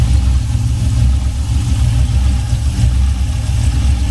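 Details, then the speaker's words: 1979 Buick Regal with a swapped LS 6.0 V8 and new exhaust: loud deep rumble at idle with choppy, pulsing exhaust note from a big aggressive cam, idling as it should. "Y'all hear it? Mount cam. You got a mount cam in, y'all."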